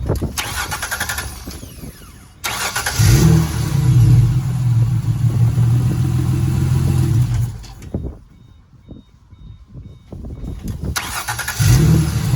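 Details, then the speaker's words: 2005 Ford Mustang 4.0 after starter replacement: brief crank, catches quickly into a smooth steady idle, then shuts off and restarts just as cleanly; new starter and engine working fine. "We're good. We're good, guys."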